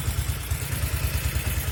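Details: 1974 Norton Commando 850 idling with un-muted silencers and a tighter clamp seal at the headers; smoke from the left side. Lumpy twin idle at about eight thumps a second, occasionally losing a pulse: intermittent misfire heard from the left side.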